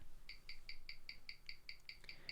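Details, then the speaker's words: James Bond 007 Gruen Precision 510 17J starburst watch on a Weishi 1000 timegrapher with a 60-second reading. It shares its movement with the Masonic-dial Gruen (+17 s/day, 3.1 ms beat error) and reads +32 s/day with 0.0 ms beat error; crisp, evenly spaced ticks, cleanly in beat. "if you take a look over here at the beat error it's 0.0 milliseconds meaning that there is no errors with this watch whatsoever so this is a complete accurate reading"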